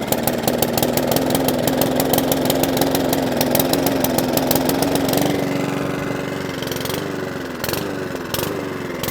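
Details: Mountfield 414 lawnmower, quite smoky: revs wander up then sag instead of holding steady; hunting and surging from fuel starvation.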